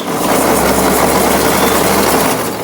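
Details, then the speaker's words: 1952 Ford 8N tractor cranking: harsh continuous grinding while engine turns over slowly about two seconds; owner suspects starter clutch slipping or starter burned up, plans replacing it, not confirmed. "Something's grinding in that starter. I wonder if there's a starter clutch. It sounds like something's slipping."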